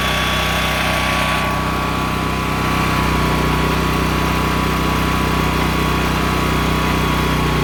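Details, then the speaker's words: Honda EM6500SX electric-start generator after carburetor cleaning and oil change, loaded with a heat gun through an amp/watt meter. A loud, steady drone with an even hum and no surging or misses. It runs normally under load. "there it is sorry about the noise but obviously it's loud it's a generator"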